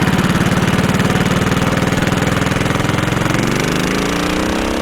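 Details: Suzuki Savage 650 single ridden in too high a gear from low rpm: slow, uneven thudding with lugging, snatching and knocking as it accelerates under load.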